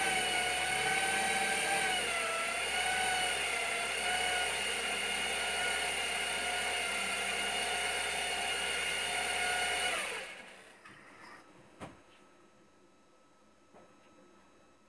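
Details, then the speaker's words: Saab 9-3 NG B207 engine at first start after water pump replacement and reassembly: steady run with a thin, even whirring tone until shutdown; owner hears an unusual noise, unsure whether belt or water pump, and says it's not its usual sound. "je pense que la courroie fait un bruit bizarre j'ai redémarré j'entends toujours le bruit mais j'arrive pas trop à savoir ce que c'est"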